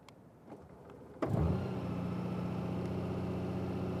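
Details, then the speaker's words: Cold start of a Honda Gold Wing DCT (combined starter/alternator unit) at temperatures in the 30s: short starter whirr, catches at once and settles into a steady, even fast idle around 1800 rpm; normal cold start. "Okay, they did okay."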